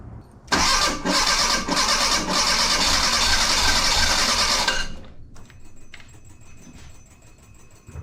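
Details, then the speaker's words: 1984 Bertone X1/9 with engine back in, new fuel pump holding about 36 PSI and spark confirmed: four seconds of starter cranking with faint uneven pulse, never catches; three of four fuel injectors found not spraying. "so I got three bad injectors they're not moving so I got to find injectors and until then I'm kind of stuck"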